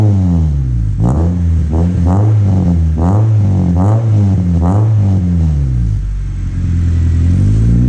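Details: Honda Civic after an aftermarket muffler was welded in to replace the stock one, started on the ground: a loud, deep, raspy exhaust barks through quick revs and returns to a rumbling idle.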